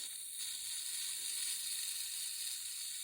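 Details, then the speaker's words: Rural spring-fed water line checked near the tank: soft, steady hiss of water moving through the pipe, no gurgle or spurting; water is flowing normally into the tank. "can hear the water inside of the pipe that's a good sound and it means that water is flowing into the time"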